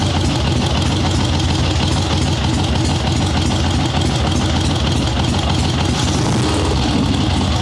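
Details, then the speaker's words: Ironhead Sportster swap-meet chopper with Mikuni VM38 carb after starting/idle jetting adjustments, fresh plugs, cold wet day, no choke: loud lumpy V-twin idle, small throttle blips pick up cleanly; runs even, substantially better than before. "That sounds substantially better than it did."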